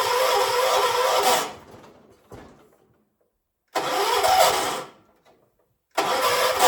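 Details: 1976 John Deere 300, hard starting; repeated long cranking bursts of about a second and a half each, with the engine never catching, on jumper-pack power. Cause not yet identified.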